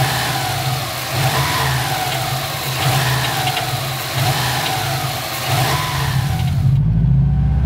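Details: Subaru engine revved hard and allowed to fall; as revs drop, a tinny metallic rattle comes from the turbo area, cause undetermined; metallic rattle on deceleration.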